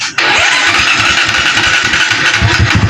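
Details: Barako 175 motorcycle brought in for hard starting and popping: engine catches after a short crank, then runs rough with uneven low pops; cracked intake manifold leaking air, running lean.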